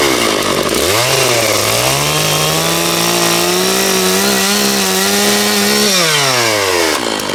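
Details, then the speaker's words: Stihl MS660 chainsaw after a clutch repair, cutting wood, possibly ash: it revs up cleanly and holds a strong, steady high howl through the cut without bogging, then drops back evenly. It has strong power and the chain did not come loose. Normal, healthy cutting. "That thing sure has power, man. Holy smoke, she makes chips for sure."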